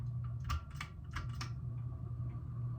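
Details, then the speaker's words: 1987 SMC Laguna (KB36) ceiling fan, 38 years old, switched from low to medium speed: steady low motor hum with faint even whirring; bearing smooth but noisy, always has been. "You can really hear the bearing now. It's smooth, it's just noisy."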